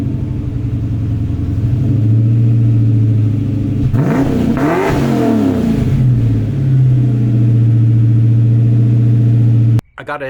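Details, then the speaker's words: 1994 Mustang GT V8 with new Pypes SFM29V stainless catback replacing droning Flowmaster Super 44s, heard 8-10 feet away: deep, even idle burble with two clean throttle blips, no knocks or rattles; healthy exhaust. "It's time to get inside the car and fire it up, see what it sounds like. You're 8 to 10 feet away, and so you're gonna get the full blast, I guess."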